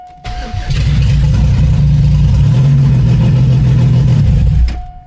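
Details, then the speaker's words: 1994 Cavalier 5-speed, built 3400 V6 with strip cam, first start with open exhaust dumping to the ground and no O2 sensor fitted yet: catches quickly, strong even rumble and brief rev, no knocks or misses; runs healthy. "Starts up real nice though, and I don't even have an oxygen sensor hooked up yet, because I need to weld it on the downpipe. Because we're just dumping to the ground."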